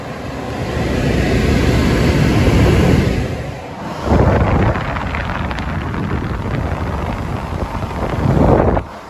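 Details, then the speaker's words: Germ Guardian AC5900WCA air purifier blower, 86.5 W, started on high: strong, even rushing airflow with a deep whoosh and brief dips; normal blower running on high. "also makes this really cool sound - when you start it off on high you just hear it first split second"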